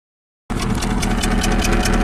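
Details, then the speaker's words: 2008 Subaru Legacy 2.5 SOHC, junkyard replacement engine, 164,000 miles, cylinder 4 misfire unchanged by new injector, coil and plug: idle with steady stumble and sharp tick about five per second; low compression. "2008 Subaru Legacy with a misfire and an engine tick what's the story with this car"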